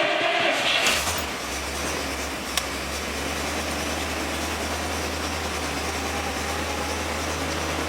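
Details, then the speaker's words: Dodge Stratus started cold after repairs, nearly out of fuel: steady, even low idle with oil pressure up at 60 psi and no clicking or ticking; normal idle. "Oil pressure's up. She's not clicking or ticking. Yeah, she's 60 pounds. Good."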